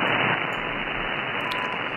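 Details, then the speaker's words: SDRplay RSP receiver in SDRuno at night, tuned to CHU Canada 3.330 MHz upper sideband, before the noise blanker is enabled: steady static swamping 1.7–4.2 MHz. Wideband noise, suspected from neighbors, CFL/LED lights or a TV. "this noise is probably coming from my neighbors it could be from my own CFL lights it could be from LED lights it could be from uh neighbors television it could be it could be basically anything"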